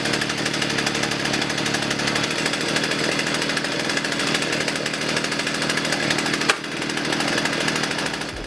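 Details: Partner 351 two-stroke chainsaw run from cold after a carburettor kit and new spark plug: a steady high-speed buzz with even firing and no stumbles, so the saw is running cleanly and healthy.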